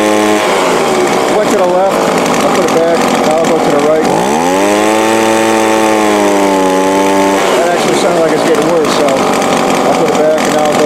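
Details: Two-stroke small engine, Walbro/Zama-type carb after high-speed needle adjustment to cure a full-throttle bog: sharp buzz holds steady, dips briefly and climbs back cleanly without bogging; running normally.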